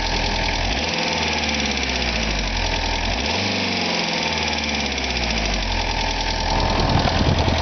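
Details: 1985 VW Jetta diesel idling with a light, fairly regular ticking, about three a second, over the engine's low clatter; cause unknown.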